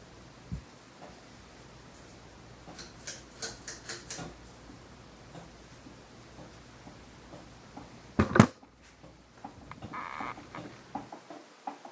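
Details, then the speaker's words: Fasco Charleston 5-blade ceiling fan on the floor at medium speed, warped flywheel: irregular light ticking rattle over soft motor hum, shaking, worst at medium; cause unclear. "It's now making shaking sounds and shaking. And medium speed is the worst."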